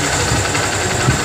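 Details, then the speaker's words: Honda CB Shine motorcycle, previously loud abnormal engine noise, after repair work: short burst of steady even single-cylinder idle with no knocks or rattles, like factory sound; normal idle after repair. "एकदम sign का जो sound होता है company recording दोस्तों वह sound इसमें ए गया है"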